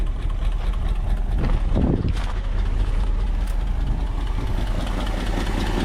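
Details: 1962 Ford Galaxie V8 that sat for decades, freshly revived after freeing a stuck carburetor float, idling with a deep, smooth, steady beat and a few handling noises; idles cleanly and sounds healthy.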